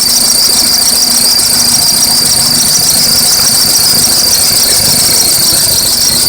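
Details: Acura RSX at cold start: sharp high-pitched cricket-like chirping squeal over quiet idle from under the hood, seeming from the belts near the power steering reservoir; belts looked alright; cause unknown.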